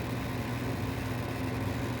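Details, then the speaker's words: 1995 Goodman gas furnace on a no-heat call: steady low motor hum with a faint rough buzz over fan rush; the old draft inducer motor doesn't sound healthy, cause unclear. "this thing has seen its better days flow motor don't sound real healthy"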